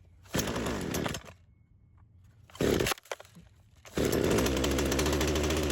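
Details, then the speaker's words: Old Craftsman chainsaw that sat for years, started on choke; catches, runs ragged, cuts out, restarts and stumbles before picking up, smoking; bogging on throttle, owner unsure if clutch hangs up. "What we could do is yank off the chain later on the next run and see if it's still kind of bogging out, because you could see me kind of doing that there, and it would kind of take a second to it'd shoot out a little bit of smoke and then go."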